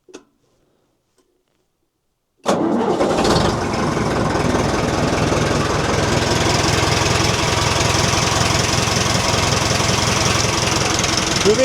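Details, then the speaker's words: Nuhvi after cylinder head cover re-tightening and valve adjustment, still warm, started in neutral: silence, quick catch, steady even idle about three to four beats a second, no valve tapping; oil pressure 40 at idle; normal start and idle. "running well and the valves aren't knocking. The engine is still warm and the oil pressure is 40pa."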